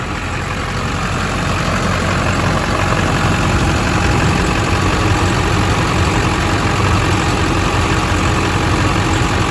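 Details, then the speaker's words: California four-wheel-drive diesel truck at 241,000 miles, engine bay: loud, even idle with steady low rumble, no misses or knocks, no blow-by and no exhaust smoke; normal idle. "It's got no blowby, which is great. Sounds good up here."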